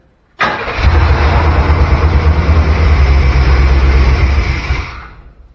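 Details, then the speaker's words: Chevy C10 short bed truck with throttle body injection, parked 16 years. Cranks, catches quickly and runs a steady rough idle, then shuts off, no knocking. Oil pressure gauge possibly unhooked, but sound suggests it has oil pressure. "judging by the sounds it's making i don't think that's the case i think we've got oil pressure"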